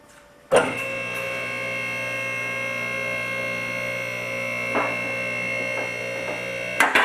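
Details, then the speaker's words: Car lift rising with a steady electric pump hum; the safety latch in the back of the frame clicks in about every second, locking the carriage so it cannot fall if the cylinder fails: normal lift safety latch clicking. "now you've heard it uh each time that clicks the safety is getting into Position will not allow the cylinder to uh will not allow the carriage to fail fall if the cylinder fails"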